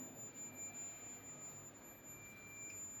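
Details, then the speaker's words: Multimeter in buzzer/continuity range across a mobile phone board coil: faint, steady high-pitched beep, so the coil conducts and is OK; no beep would mean it is open. "तो beep की आवाज आएगी तो ये okay है। अगर beep की आवाज नहीं आई तो ये समझ लेना आप ओपन हो गई।"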